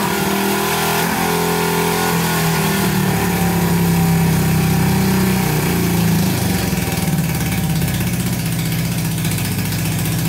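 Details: Barn-find Honda CB350 (1970/1974 stated) that sat for years, not previously running; with more fuel added, twin settles into even beat around four pulses a second, revs build cleanly: normal running on both cylinders.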